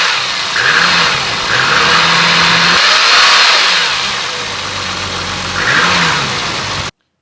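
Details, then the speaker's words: Timing chain noise on a BMW E34 M5 (S38B36): rough roar of worn chains loading and unloading over the exhaust as revs rise and fall, most heard when downshifting and engine braking; chains replaced without removing the head. "maybe we can kind of spot that little roaring noise of the chains as they kind of load and unload for me it was a most heard when down shifting and engine braking and you definitely hear the chains kind of make noise"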